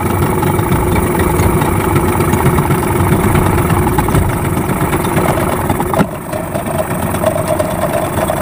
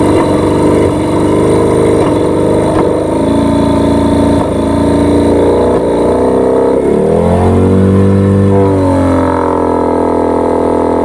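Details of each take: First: Yamaha 15 hp outboard just after repair for hard starting and no power (stuck piston rings, clogged exhaust): busy, steady two-stroke idle burble with even firing; normal idle. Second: Yamaha 15 hp two-stroke outboard, hard to start, brought back by its owner for repair: runs roughly with speed surging and sagging, sputtering and dying instead of picking up under throttle; causes found were stuck piston rings and a dirty exhaust.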